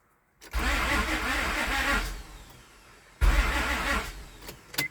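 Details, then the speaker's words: Crank-no-start with no RPM signal on scan tool (crank sensor suspected): two slow, laboured dragging cranking bursts, starter engaging and disengaging, RPM well below the ~450 expected; failing starter motor. "See, I'm holding the starter. RPM is pretty slow. I wonder, because I'd imagine I need to be around like 450 or so. It's dragging."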